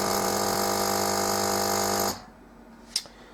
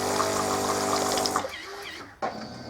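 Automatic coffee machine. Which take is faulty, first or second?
first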